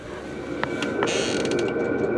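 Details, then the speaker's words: Diesel heater in an overland trailer at minus three °C, about 10 minutes in: sharp fuel pump ticks speed up over a steady blower hum as it pumps lots of fuel at high output; normal. "doing really good you can hear that pump just going crazy right now i'm pumping a whole bunch of fuel in"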